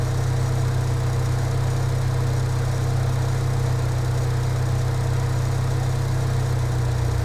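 Steady, even low hum with no misses, hunting or knocks; the idle holds smooth and settled, a healthy engine.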